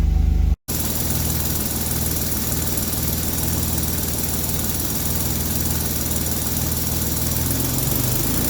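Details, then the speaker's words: 1964 Austin Healey 3000 Mk 3 warming up on some choke after a cold start: steady low idle with a rough puffing rasp underneath and a slightly tinny sound; exhaust blowing underneath. "you can there is a bit of a blow underneath from the exhaust um and sounds a little bit tinny uh when it's driving past you unfortunately"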